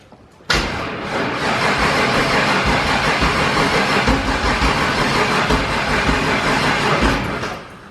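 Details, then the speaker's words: Turbo Firebird with COPO cam, first start attempt after fuel system work: sluggish, laboured starter cranking for about seven seconds without catching; weak battery sagging to about 8.5 volts while cranking. "i think the batteries junk while cranking it was only at like eight and a half volts"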